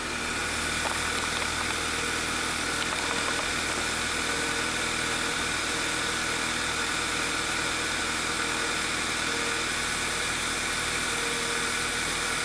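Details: 2009 VW Eos 2.0L TSI (engine code CCT) after repair of lean misfires, with a torn rear main seal causing a vacuum leak replaced: smooth, even idle with steady hum, no knocks, misses or hunting; healthy.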